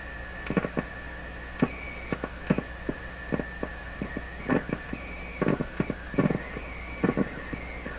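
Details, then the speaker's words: General Electric C600 radio after full capacitor replacement: steady high whistle near 2 kHz jumping in pitch between clicks and taps; set is oscillating, tone frequency changes when touching chassis or B-minus, fault likely introduced during recap. "odd to me that the frequency of the tone we're hearing would change this seems to affect it"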